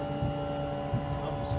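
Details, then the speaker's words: Samsung mini split outdoor unit heating at maximum, compressor drawing 7 to 8.6 amps against 9.2 RLA, C464 overcurrent code; loud steady compressor drone with fixed high tone over low throb, getting louder. "But basically it's not going to trip that error code unless we get past like 9 amps. Okay, it's definitely getting louder."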